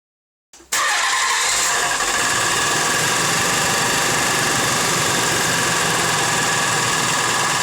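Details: Nissan Z32 engine ticking after engine work: a slight tick at first that quieted almost to nothing now returns; cranks, catches and idles steadily with a light quick tick on top, owner unsure whether rod knock or bad lifters.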